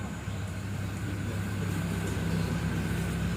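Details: 2008 Toyota Corolla Altis, 141,000 km, engine seemingly never opened, oil pan seeping: just after start-up a smooth even low hum with no tapping or rattles; idle steady and sound.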